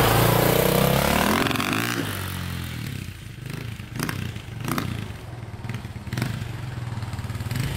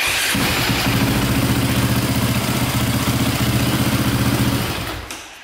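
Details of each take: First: KTM 400 EXC/450 dirt bike (2002) on a test ride after reconnecting wiring, which did not fix it. On throttle the revs rise, then hesitate and break up into uneven pops and clatter. Cause unknown. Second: 2002 KTM 450/400 EXC dirt bike electric start: even starter spin with a steady low hum, no grinding or noises; the starter one-way bearing is not thought to be a problem.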